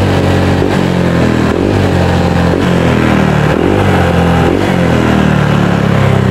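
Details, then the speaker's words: Honda Vario 150 scooter, TPS sensor error (previously wedged, before BRT TPS replacement): engine blips about once a second but falls back each time, never screams out; throttle position sensor fault. "unit Vario 150 Ini sensor tps-nya error jadi udah diganjel sama kawannya ini dia minta diganti beli online"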